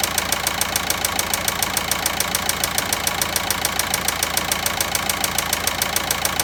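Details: VW Passat 1.9 engine at idle: sharp, very regular ticking knock about three and a half times a second over the idle; cause not pinned down.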